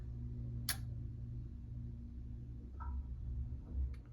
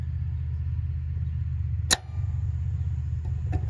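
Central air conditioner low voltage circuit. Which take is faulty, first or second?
first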